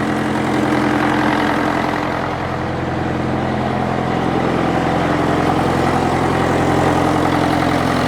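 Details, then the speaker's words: International tractor diesel, sat in the weather for years, first start-up with the air filter cover off: steady, even diesel clatter at idle with some intake roar, running pretty clean with a little smoke, normal diesel idle. "it's running pretty clean starting to starting to Chum a bit out now but it's just magnificent it sounds great I've got the cover off the air Fielder so you can hear a bit of induction noise but"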